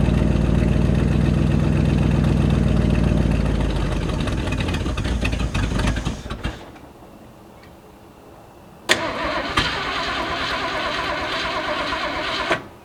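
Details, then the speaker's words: 1979 Ford F150 with a modified 351 V8, long abandoned, run on sprayed-in fuel: fires, runs rough a few seconds, sags and dies, briefly catches again; suspected faulty carburetor and fuel pump. "It just doesn't want to stay running. That carburetor fuel pump, something's all messed up on it."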